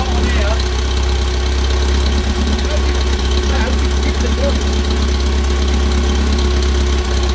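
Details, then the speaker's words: 1964 Bedford CA panel van unrun about 10 years, warm day, first start: steady, loud, throaty idle with even beat and rasping exhaust; runs, just noisy from the missing exhaust. "yeah and uh she runs it runs yeah with an exhaust on it it would probably run very well indeed"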